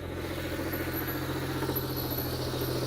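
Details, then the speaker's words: 2001 manual turbo Lexus IS300 (2JZ), cold start after three weeks sitting: an uneven rattling knock about 3–4 times a second over a rough grind. The owner suspects the clutch from poor pedal feel and missed gears; a loose crank pulley was later suspected. "i'm hoping it's a clutch issue we'll know if we can start the car with the clutch off of it but uh the reason i think it's clutch is because the clutch doesn't feel right"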